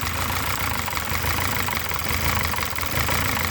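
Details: VW/Audi 2.0T at idle with lumpy, uneven running and irregular dropped beats; random multi-cylinder misfire, codes P0300/P0354 plus cylinders 1, 2 and 4, mix of new and original coil packs; fixed by replacing the PCV valve.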